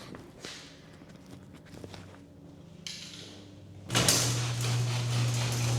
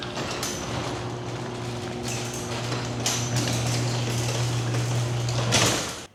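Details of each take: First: Garage door with electric opener running after lubrication of all metal contact points, mic strapped on emergency release cord: soft clicks, light rolling and steady low motor hum, no squeal or binding; significantly quieter than before maintenance, normal operation. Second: Garage door opening before lubrication and maintenance, microphone clipped to the emergency release string: steady opener drone with rough scraping and clunks, harsh and loud from dry, unlubricated hinges and rollers.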